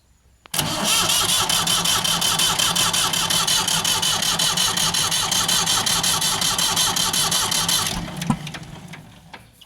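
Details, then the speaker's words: Ford 4600 tractor diesel with a newly fitted exchange injection pump and injector lines slackened for bleeding; steady starter churn of almost three beats a second for eight seconds that never catches, with no smoke; no fuel delivery yet; cranking, no start. "You know what? It's a bit worrying, isn't it? Still no smoke, no sign of any fuel."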